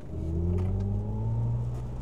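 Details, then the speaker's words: 2025 Mercedes CLA 250+ electric, 85 kWh battery, synthetic sound menu activated: layered low tones climb smoothly in pitch during acceleration, artificial engine-like sound, apparently also selectable for outside. "Est-ce que vous avez entendu ? Il y a plein de sons différents et a priori dans les options, on peut même mettre le son à l'extérieur."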